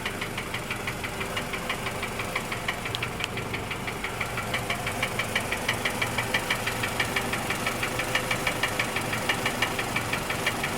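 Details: 2007 Scion tC idling with a steady, sharp knock about three times a second after a JDM replacement engine was installed.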